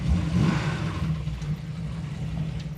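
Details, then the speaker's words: Hemi V8 revs and settles with a deep, rough knocking under the exhaust rumble. Called a rod knock, only 23 lb oil pressure at about 4,000 rpm after hard running; engine considered dead. "oh yeah that's a rod knock is there any oil in it yeah I mean it's got oil pressure oh no it doesn't that's a rod knock it's done"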